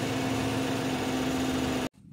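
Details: After the exhaust leak at the catalytic converter seam was welded and patched, the engine runs steady and even with a constant low hum. There is no puffing or ticking from an exhaust leak before it cuts off: running normally.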